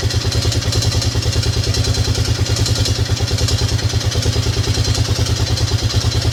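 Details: Yamaha Grizzly 600 ATV after carb work, fuel long stale: loud single-cylinder idle with fast, uneven thumping and clattery edge; rough idle, mixture suspected unsettled, owner about to adjust pilot screw at carburetor bottom. Not confirmed.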